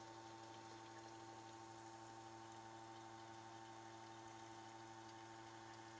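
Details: Porsche 912 in-tank electric fuel pump, jumped directly to wires, flowing through adjustable regulator at about 1.5 psi into a cup: quiet constant whine with steady pitch over fuel trickle; pump running smoothly, fuel clean.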